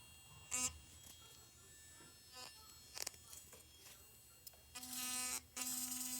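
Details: Philips Sonicare DiamondClean toothbrush that had been vibrating weakly or not at all: short buzzes, then a strong, steady high-pitched buzz held over a second; vibrating at full normal strength.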